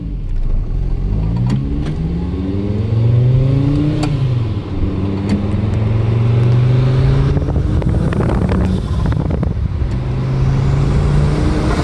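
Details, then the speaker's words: VW/Audi turbo car with an RKX-tech diverter valve replacing a rebuilt Forge 007, recorded out the window: revs climb with a quick, clean whoosh on lift-off; the valve comes out of vacuum quickly and holds boost, normal operation. "the rkx diverter valve was in there and operates just fine comes out of vacuum quick holds boost the whole time"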